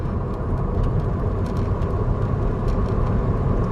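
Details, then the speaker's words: 2008 VW Jetta 2.5L after new Bosch ignition coils for cylinder 1 misfire: in 5th gear pulling away from about 25–30 mph under load, steady even drone with no stumbling or hopping. "Pulled away at about 25. Still in 5th. And it did not do it."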